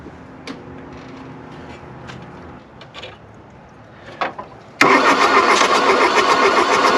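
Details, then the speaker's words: Diesel engine in a heavily damaged car, cold start at 40°F after glow plugs energized, glow plugs likely burnt out: slow cranking with scattered knocks as one cylinder fires, then a harsh roar, but it never runs; suspected cold and weak glow plugs. "that was a cylinder kicking off oh it's so close"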